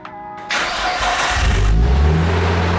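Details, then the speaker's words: Nissan Skyline R34 starting after its coil packs were replaced with OEM units to cure a misfire. A short crank, then the engine catches and settles into a strong, even run with no misfire: normal start. "Let's Go oh it's working guys oh yes it sounds so good"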